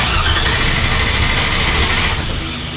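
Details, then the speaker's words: 1957 Chevy Bel Air with an LS swap (5.3 with 4L60), on first start it catches, runs briefly, then sags and dies; the fuel level was unknown and it ran after fuel was added, so it was out of gas. "or is it just out of gas because we have no idea how much gas is in it that could be it sometimes it's the simple things"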